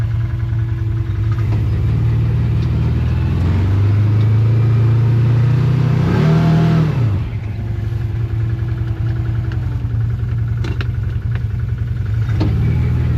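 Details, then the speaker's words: Can-Am Commander 1000 XT plowing snow at -29°C: steady engine drone rises sharply as revs climb with wheels spinning out under the plow, then drops back; over-revving without progress under load. "Now the reason why I only plow a bit at a time is because I can hear the engine rev and everything's spinning out. You can only plow so much, so no sense over revving the engine and spinning because you're not going anywhere."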